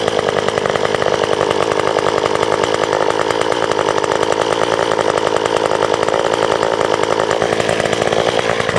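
Saw holds a steady, strong high buzz while cutting, no bogging or sputter; running healthy under load.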